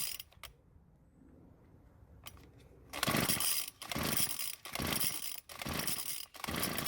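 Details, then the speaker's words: Small two-stroke string trimmer, fuelled, ignition confirmed working: after a pause, rough sputtering bursts with repeated dropouts; it starts but stalls because the choke lever was moved to the run position too soon. "[Applause] so it started and it would have stayed running if i wouldn't have moved the lever to the run position so soon"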